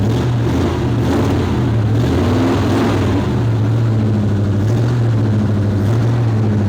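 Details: 1972 Chevelle V8 revived after sitting about five years: deep rumble rising and falling smoothly with throttle, no misses or knocks; oil pressure 50 psi, alternator giving 14 V, fuel pressure 6.5 psi despite a small drip.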